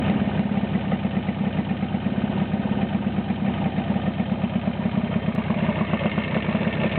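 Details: Jawa 350/638 two-stroke after cylinder-piston group (top-end) rebuild: steady idle with an even ring-ding beat of about three pulses a second, no knocking or rattle; healthy running.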